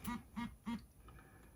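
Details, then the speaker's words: Orbit Writer braille keyboard: three short, evenly spaced low vibrations about a third of a second apart, signalling that nothing is paired on the selected channel. "so if i do space left and three you can hear it do three vibrations which means there's nothing connected there"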